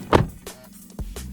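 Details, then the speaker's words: Jaguar XF automatic steering column lock, engine off, door open: short motor whirr with a couple of sharp clicks, then quiet, buzzer sounds; steering lock actuator releasing normally. "likewise there it unlocks you can hear the buzzer now the steering is unlocked"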